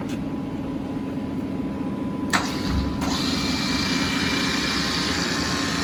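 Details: New 2009 Tru-Turn CW61190L 75" x 21' engine lathe, 30 kW 440 V main motor, spindle 3.15–315 RPM, very nice condition: motor spins up from a click to a steady even hum, no knocks or grinding; normal running.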